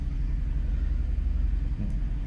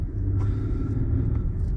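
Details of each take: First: Infiniti FX37 (QX70) before valve adjustment, valve clearances found tight on one head: low, lumpy idle with an uneven, stumbling misfire; misfires on bank one, very neglected case. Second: Infiniti FX37 (QX70) after valve clearance adjustment, valves had been found too tight on one head, spark plugs now grey: low, even idle rumble with no skipped beats or stumbles, running smoothly with no misfire.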